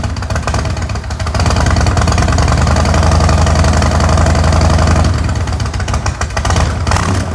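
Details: Yamaha Raider V-twin after gas tank removal, new spark plugs and air filter change; catches within a second, then holds a steady, even lumpy beat and revs cleanly: normal start and run.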